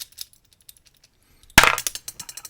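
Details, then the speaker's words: Adapta J40 lock being reassembled into a Federal 406HE padlock body: sharp snap then loose metallic clinks and rattles, meaning the ball bearing wasn't in place; misassembled lock, ball bearing not seated. "That means the ball bearing wasn't in place. I thought I'd got away with it, but I hadn't."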